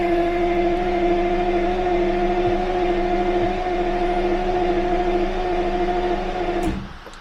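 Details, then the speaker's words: Jaguar V12 warm-up start after about six weeks parked over winter in rain: steady starter whine for about seven seconds with no catch or firing; crank no start despite spark and fuel smell, owner suspects something disconnected. "nothing thank you that's very strange almost as if something is disconnected let's go and have a look at that"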